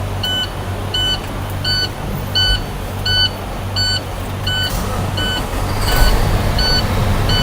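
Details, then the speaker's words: Truck air brake system check, diesel engine just started and idling to recharge an empty system: evenly spaced beeps, roughly 86 a minute, over steady idle; low air pressure warning alarm active. "We already know that the engine low pressure light is on. Excuse me, engine air system low pressure light has been on."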